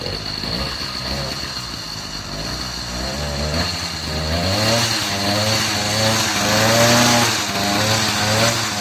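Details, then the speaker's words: Motorized bicycle with a new two-stroke engine kit, at idle after the knocking noise was fixed: a quick, even idle with a slight rise and fall. There is no knock or hammering, and the engine runs clean. "eu vou ligar ela deixar na marcha lenta para você ver não tem barulho nenhum"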